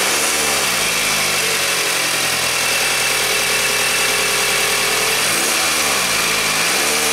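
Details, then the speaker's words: 2000 Toyota Camry after new timing belt installed and tensioned; idle rises into a clean smooth rev and settles evenly, no rattle or tick; sounds better. "it's a lot better [Music] ran like a kitten beautiful"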